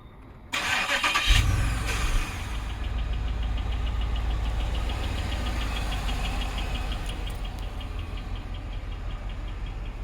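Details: 2008 Buick LaCrosse Super V8 with DOD (cam-swapped after a previous identical failure), about 10,000 miles since owned, knocking for a few months: starts into rough idle with a faint steady light ticking; rod knock or collapsed lifter suspected.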